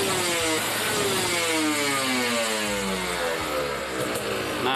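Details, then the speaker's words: Kawasaki Ninja RR two-stroke with racing exhaust during carburetor tuning (pilot jet 25, main jet 270, needle changed): revving slowly, it briefly holds at about 7000 rpm, then pulls cleanly through 8-10k; before the needle change it stayed held. "kayak gitu ya teman-teman jadi Tadi sempet ada tertahan di RPM 7000 that nah tapi setelah digas pol 8 9 10 ke sana itu udah apa yang namanya udah enaklah lah Udah lepas gitu"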